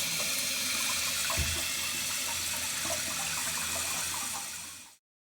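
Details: Toilet cistern fill valve after a new washer was fitted and the water turned back on: an even, strong rush of water for five seconds that shuts off cleanly. Normal refill.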